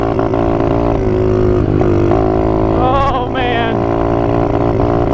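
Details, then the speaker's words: Apollo 125RFZ single-cylinder quad, abused by inexperienced riders, while cruising: engine drones with a wavering, uneven pitch and keeps sagging instead of pulling cleanly; bogging and running rough, owner suspects worn-out motor, unconfirmed. "oh guys i better capture this now before she actually flows up here she's running really bad"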